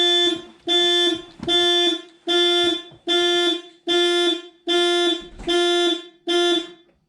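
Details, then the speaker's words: 2000 VW GTI Mk4 with 237,000 miles, first key turn after work on a project car bought with a blown engine: a loud factory anti-theft alarm tone pulsing about 75 times a minute; the seller warned that the fob doesn't work, and unlocking the trunk with the key stopped it. "so the guy i bought this firm did warn me that this one key fob doesn't work and that sometimes there's a security issue and it can be resolved by using the key to unlock the trunk"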